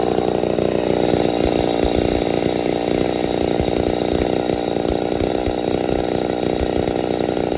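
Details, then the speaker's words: Ported Poulan 245A chainsaw with bow bar, first start, not yet at full temperature: thin, buzzy high-rev scream, crisp and slightly starved; a little lean, low jet/idle may starve and stall, needs tuning under load. "still need to do some tuning but uh she's a little lean you hear it starving just a touch that's all right though"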